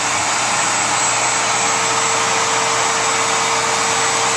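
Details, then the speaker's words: Router running free with no load: loud steady high-pitched whine with airy hiss, no wobble or grinding; healthy. "This might be a little louder than the you know, the Makita trim routers, but you know, I don't think it's much louder."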